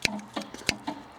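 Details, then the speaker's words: 1974 MGB abandoned 30 years, heated rear window switch turned on after cleaning its contacts: a few sharp dry clicks as the relay pulls in, so power reaches it; rear window element itself probably not working. "you can hear the relay clicking on. So yeah, I mean, there's power probably going to it, but whether, like I'd say, probably the likelihood is the heated rear window element itself isn't working."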